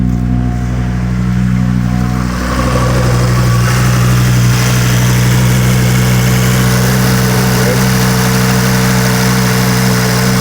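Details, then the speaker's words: 2006 Volvo XC70 after engine rebuild, code P0016, still a little cold; idle drone wavers and stumbles, getting worse as it tries to come down to idle rpm, not sounding clean; rough idle, cause not yet found. "It's still a little cold, so it's not trying to come all the way down to [Music] idle RPMs yet. Hear it now. It's trying to come down to idle RPMs. Is getting even worse."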